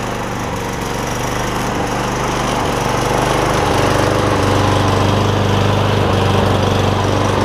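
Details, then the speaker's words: Kawasaki-engined Cub Cadet SR621 push mower after carburetor replacement, first run after long storage, no blade fitted: steady, even single-cylinder putter at fast idle with no misses or knocks; normal running. "Seems like it runs pretty good."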